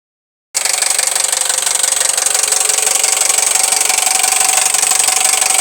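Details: Toyota 1AZ-FSE engine at idle: steady sharp knock about three beats a second, loud over the engine; owner calls it piston slap or rod knock, not confirmed; to be repaired.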